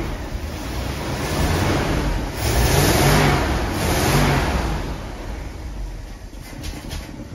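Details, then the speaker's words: 1966 Ford Thunderbird V8, first start in years with old gas and weak battery: rough engine climbs on a blip then sags and lopes unevenly, won't hold idle; still getting fuel, owner suspects fuel pump or vacuum leak. "doesn't want to idle [Music] still getting fuel might be fuel pump issue I don't know"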